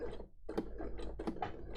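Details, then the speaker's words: Sewing machine, slow stitching: a dull click just before the needle pierces the fabric, not a blunt needle; clicking while sewing, owner suspects the timing is out, unconfirmed. "the thing that makes me think the timing is out is that it actually clicks a little you can kind of hear it um when i'm sewing you can sort of hear the clicking"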